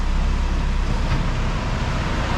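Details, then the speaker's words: PT Cruiser GT 2.4 turbo race car on jack stands, in first gear with foot on brake: deep, rough drivetrain rumble with coarse grinding, louder with each gear, from stripped CV axle splines, not the clutch. "So after further inspection, we could hear a sound grinding, and with each passing gear, the grinding got louder."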